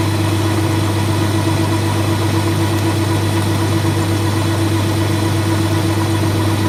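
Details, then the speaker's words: Colchester Student lathe handling a cut after facing: loud steady hum with droning mid tone; cutting chatter from too much unsupported bar sticking out. "all right so it handles the cut but you can hear the harmonics and you can see them and that's because there's all this bar free my being very far left"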